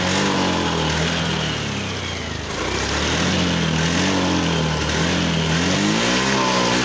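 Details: Honda Beat FI scooter engine revving unevenly, stumbling and dipping mid-rev with no check-engine light; misfire and hesitation blamed on a faulty throttle position sensor, to be confirmed by scanning.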